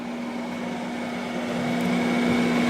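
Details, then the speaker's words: Newly installed Fantastic Fan roof vent fan on a 4x4 pop-up truck camper, running at full speed; smooth even airflow whoosh, steady low hum, faint high tone, no rattle or wobble, noticeably quiet; normal fan operation. "And when I installed it right away, I noticed that the noise level on this was very low compared to the one that I saw."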